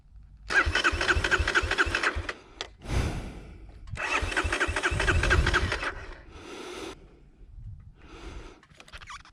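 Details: 2020 Kawasaki KLX230 after going down in soft sand, refusing to restart: two bursts of fast, even starter cranking about three turns a second, never fires; cranks but won't start.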